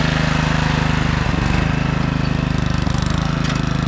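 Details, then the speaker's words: 1997 Craftsman II 30-inch rear-engine rider with 13.5 hp Tecumseh single-cylinder, test run after electrical no-crank repair: steady even pops, firm low thump, no misses; runs healthy. "but yeah we have a good runner and I'd imagine this thing would drive just fine"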